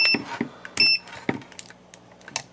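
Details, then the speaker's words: Craftsman multimeter, believed from 1999, before repair, intermittently dying with a very stiff dial: short clean high-pitched beeps among probe and dial clicks; buzzer works fine. "as you can see speaker works completely fine um everything works on it except it's intermittently going broke"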